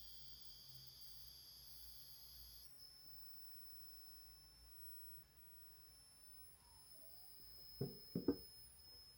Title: Audient ID22 strange noise coming out of the box